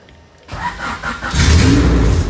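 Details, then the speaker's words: Honda Civic with H22 engine, after fixing a bad ground connection and running on a battery charger: starter whirs briefly, engine catches within a second and settles into a strong, even run; normal start and idle. "there it is guys finally another little battery charger here so finally got her going and take her off the charger"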